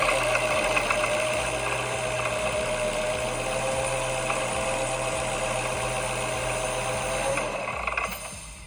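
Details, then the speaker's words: Brand-new 3.8 Whipple supercharger, belt on, engine idling: fast, uneven metallic rattling about four per second over steady idle, stopping at shutdown; supercharger rattles badly at idle, judged damaged. "here's a box for it and this thing sounds terrible rattles real bad let me start it"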